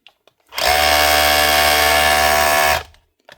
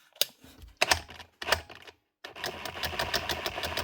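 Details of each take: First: 2019 DeWalt DCH273 SDS hammer drill after cleaning and re-greasing, for a fault of not changing modes and not drilling: a two-second run with a steady high buzz and even tone, no grinding or rattling; hammer action sounds healthy. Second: Dewalt DCH273 SDS drill not changing modes or drilling: short motor bursts with a strained, uneven rattle and little hammer blow; switch and motor work, jamming in hammer-drill mode, and the gearbox is dry and lacking grease.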